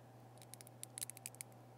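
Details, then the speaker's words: Test equipment power cord being bent by hand, unit unplugged: a dozen sharp little crackles over low hum as the cord cracks internally; cord is dead and must be replaced before plugging in. "that's the power cord actually cracking internally this cord is dead"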